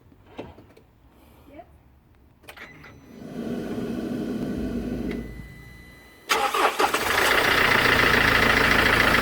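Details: Mercedes S212 E 220 CDI diesel cranks, catches and settles to idle with a quick, fairly even clacking about four times a second over the rumble.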